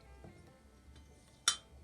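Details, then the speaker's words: Yamaha Virago XV535 cylinder head rebuild, exhaust valve seat cleaned of carbon: a single tap on the valve gives a bright, clear ring that fades, not a dull thud; good valve seat seal, no lapping needed. "that's what it should sound like little ring to it if it's a dull thud you want to lap that back in but that sounds okay"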